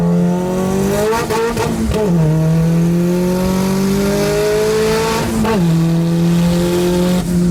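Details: Nissan Sentra with SR20VET swap, new traction bars: engine pulls cleanly through revs and gear changes, no surging or hunting; boost holding a steady 9 psi, where it previously surged between 6 and 9.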